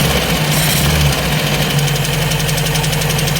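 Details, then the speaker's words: Ford Escort MK3 GLE carburettor engine at a steady idle, warming up, after timing and carb tampering: light, fast, slightly uneven tick about four per second; owner suspects valvetrain and plans to pull the valve cover, cause unknown. "You hear that ticking noise? Well, it's running better, but I'm not happy with that ticking noise. Something is not happy."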